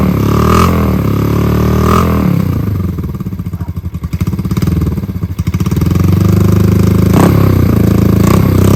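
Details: 50-year-old Honda CL350 Scrambler twin, long-parked, restarted after battery and fuel hookup (gas leak present): steady firm idle, brief dip with throttle, clean pickup; normal running.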